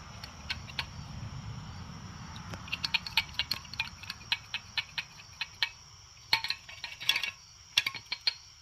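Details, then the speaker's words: Geo Metro original fuel filter being shaken: loose gritty rattling clicks in irregular bursts; filter clogged with loose debris inside and to be replaced. "inside of the filter loose. When I first did that, I was shaking out black stuff. All right. So that should fix that. They're not supposed to sound that way, you know."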